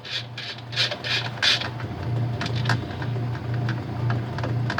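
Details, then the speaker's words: Whirlpool/Kenmore-type direct drive washer after motor coupler replacement: low motor hum with irregular raspy scraping; agitator dogs grinding against a gear, harmless, machine works fine. "much better and that grinding sound is just agitator dogs you're just for whatever reason they're like rubbing against like a little gear on it which making that sound but that's no big deal it still works and still works just fine"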